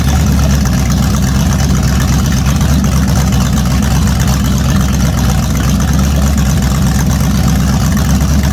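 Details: A naturally aspirated 010 350 Chev small-block V8, carbureted, on an engine stand for an HQ sedan rebuild. Deep, even, strong burble with no knocks or misses; healthy running.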